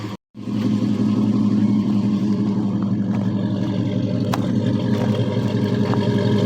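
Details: Jeep V8 warming up at idle after a cold start at almost 50 psi oil pressure: smooth, even low rumble with no ticks, knocks or misses; healthy.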